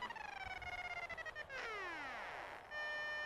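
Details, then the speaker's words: DIY Arduino-based sailplane variometer, tested on a plane diving with motor off: rapid beeping sweeps downward then locks into one steady high tone; sinking too quickly appears to overload the readings, giving a flatline-style emergency sink alarm. "seems like when you go to when you sink too quickly it sort of overloads the numbers somehow and you get that high-pitched I"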